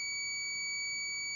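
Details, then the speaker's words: Mercedes 508D/613D cooling-system temperature switch tested in water heated to near boiling; the ohm meter gives a steady, unbroken high-pitched continuity beep. The switch has closed and is conducting as it should. "You can hear the ohm meter is making that beep noise. So now it's working."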